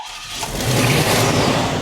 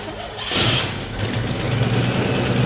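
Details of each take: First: Stolen 1988 Chevrolet Monte Carlo, first start after a new fuel pump was fitted: engine fires on the key and settles into a strong, even, smooth low rumble with no knocks or stumbles, sounding healthy; normal running. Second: 1988 Monte Carlo with a swapped original 4.7 L 265 V8: it catches and runs a shaky, uneven low idle that sags and dies; it isn't getting fuel from the tank, so fuel starvation is suspected.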